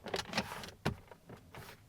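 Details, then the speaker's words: 2022 Toyota Tundra SR5 TRD Off-Road, two months owned: quick plastic rattles each time light arm pressure is put on the center console lid, also over bumps. Loose console, worsening since new. "So that center console rattling, it is very nitpicky, but every moment, every single time I get into the truck and just set my arm down on it, and if I go over a bump or something, it rattles,"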